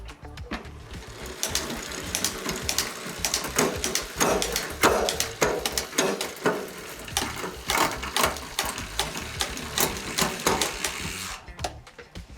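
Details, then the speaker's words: Bakcou eBike rear derailleur after two turns of barrel-adjuster tuning: irregular clicks as the chain shifts down, better but still slow and landing hard, with slapping in 9th–11th. More quarter- or half-turn adjustment is needed. "So we can see on that run we are a lot better. It's still a little slow, but each time we click and move down a gear."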